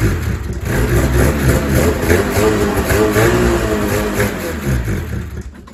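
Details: 2000 Ski-Doo MXZ-X 440 liquid reed-valve two-stroke race sled on fresh premix, carbs cleaned, pickup line replaced, primer lines un-reversed: catches, revs briefly and settles, firing cleanly without stumbling; starts and runs properly.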